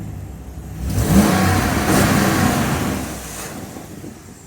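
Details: 2009-2014 Dodge RAM 1500 5.7L HEMI V8 after serpentine belt and tensioner replacement for chirp/squeal: engine revs up and settles back with no squeal or chirp; belt drive now quiet.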